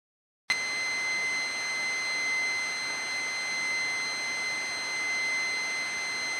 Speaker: и писк создают современной и особенно не подготовленные для использования в аудиоаппаратуре импульсные источники питания и генерирует достаточно сильный гул и писк